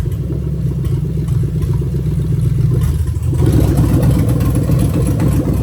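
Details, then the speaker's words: Lexus LS430 2000-2003 3UZ-FE VVT-i V8 with new engine harness, drive-by-wire test: accelerator pressed from idle; steady low idle then clean rev pick-up, no misses or clatter, normal throttle response. "So all I'm basically going to do is press the accelerator pedal and the engine's going to rev up. So just making sure that the drive-by-wire is working 100%."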